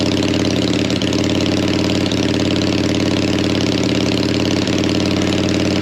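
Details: Harley V-twin, likely the XLCH just refitted with its gas tank, low on fuel: even, lumpy big-twin idle with a steady rhythm, no misses or stumbles; engine runs healthy.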